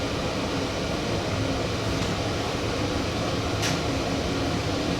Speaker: let's give it a run [Music] so you can hear the uh the cooling fan that i added there